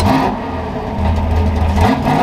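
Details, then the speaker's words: Ford F100 V8 after timing adjustment and replacing clogged fuel filter: deep crisp revs rising and falling with no stumble or hesitation; healthy, strong acceleration with lots of power. "that is spicy that is so spicy oh my goodness I'm in love with this thing again wow you can see by my hair that's a lot of fun oh my God wow this thing has a lot of power"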